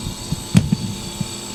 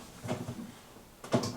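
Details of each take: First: Jenn-Air fridge after replacing RC0410 combination start relay: low, steady compressor hum under soft handling knocks, drawing about 2 amps versus 9 before; running normally. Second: Jenn-Air fridge not cooling, with clicking: steady hard electrical hum with sharp clicks at start and near end, compressor drawing 9 amps (LRA 19.5 A) and straining; failing RC0410 combination start relay.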